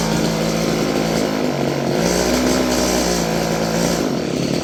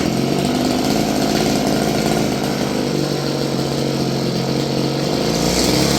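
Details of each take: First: Stihl FS56 curved-shaft two-stroke string trimmer, about 30 years old: buzzy drone holds modest speed, never reaches high revs unless choked; owner suspects gummed carburetor. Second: Roughly 30-year-old Stihl FS56 curved-shaft two-stroke string trimmer, restarted after the choke killed it: steady, slightly uneven buzz holding a constant low speed with no surging; normal idle.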